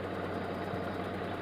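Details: Proton Saga BLM with a no-start: the starter got no current despite good battery, fuses and relays; started by feeding current directly to the starter solenoid. Steady low hum with an even beat, no knocks or misses; normal idle.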